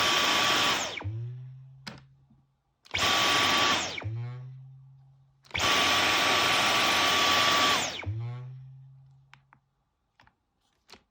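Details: Brand-new Dyson V11 Animal vacuum runs in three short bursts with a high whine and steady tone, and a low hum lingers after each stop; abnormal running noise.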